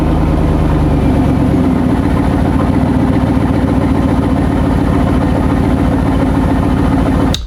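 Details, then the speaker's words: C5 Corvette at cold start with one side of the exhaust disconnected at a broken joint: a loud, rough idle with an uneven, raspy low pulse, from the exhaust leaking on one side. "So as you can see, that doesn't sound great."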